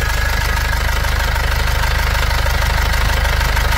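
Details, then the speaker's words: 2005 Nissan Xterra with MWM Sprinter diesel engine at idle; fast, crackly metallic rattle pulsing with the engine from the turbocharger heat shield; loose heat shield rattle. "perceberam o barulho aqui no escudo térmico da turbina aqui ó"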